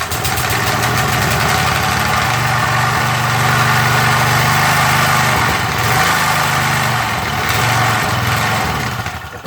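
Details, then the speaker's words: MTD edger with 3.5 hp Briggs single-cylinder engine, sat unused, carb just cleaned, started on choke: uneven surging, stumbling running because the carb's idle adjustment screw was left out; runs well once fitted. "One thing I forgot to do. I actually forgot to put in the idle adjustment screw."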